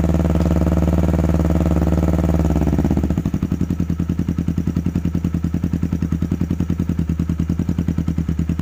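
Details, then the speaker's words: 2009 Kawasaki Ninja 250 engine: revs then rough uneven idle with ticking from the top end (rocker area); teardown later found a defective left-side crankshaft, which was replaced. "teman-teman jadi motornya tadi sempat hidupkan ternyata bunyinya lumayan kasar ngelitik di bagian recsel"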